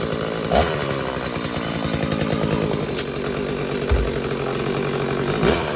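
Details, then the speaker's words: McCulloch Silver Eagle SE2016s two-stroke chainsaw, long-neglected trash find, after idle screw backed out to richen: held at high revs with strong steady buzz, no stumbling, while checking chain oiling (oil then drips out); running healthy. "I'm going to let it idle a little bit so I can high rev it and see if I get some oil to come out."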